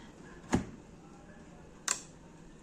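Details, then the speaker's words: Bosch Series 6 front-load washer main PCB, repaired by replacing the faulty power-supply TNY286K with a rewired TNY286P, plugged in: three sharp dry clicks about a second apart as relays pull in on a normal power-up. "Right. So, there's a relay clicking there."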